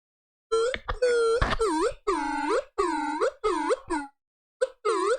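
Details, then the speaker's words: JBL Tune 660NC headphones after replacing the ANC electret condenser mics with a first choice of mics: repeated howling bursts swooping around midrange; new mics too sensitive near an object, causing feedback. "It just creates too much feedback."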